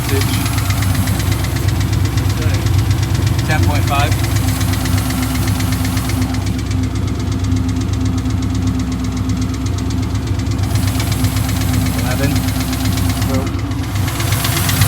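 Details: Mustang Mark VIII engine swap, freshly flashed with 24-lb Cobra injectors: V8 idles with a light quick tick about four a second that fades and returns; lifter tick suspected, hoped to quiet with more run time.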